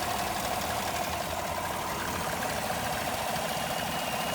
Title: Vacuum Leak